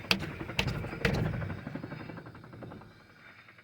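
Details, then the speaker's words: Differential with "four-one" gears, wheel spun by hand: sharp clicks about half a second apart from inside the pumpkin, and the wheel sometimes stops turning. Oil recently changed, no pinion or cover leaks. Clicking of unknown cause. "it's like a clicking noise now these do have four1 gears and I know that some gears can make a little noise"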